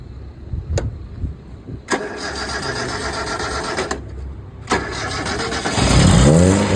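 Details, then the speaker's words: Toyota KE20 after radiator fan replacement and coolant refill: engine fires in sharp bursts, stumbles and only runs when revved, won't hold idle; owner plans to address the carburetor idle jet. "But अभी तो मसला हो रहा है कि fan हमारा गाड़ी sorry idol नहीं कर रही।"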